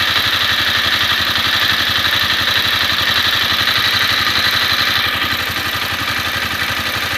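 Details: Honda CBR250R single, warm at idle after a 15 km ride: quick, even metallic ticking about four per second. Valve clearance or cam chain tensioner suspected, not confirmed.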